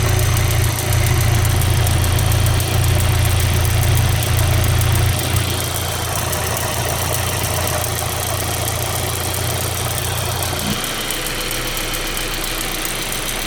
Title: 1.8t ticking noise. Part 1